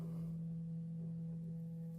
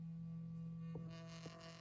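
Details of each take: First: iPhone 13 quiet earpiece clogged with dirt, playing a 165 Hz cleaning tone with isopropyl alcohol across the grille to push material out for Q-tip cleaning: a steady, thin, quiet low hum. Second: iPhone 13 with quiet earpiece and speakers, bottom speaker playing a 165 Hz cleaning test tone: a steady low hum plays cleanly, then a rattly buzz joins as a finger presses the grille; the speaker itself is working.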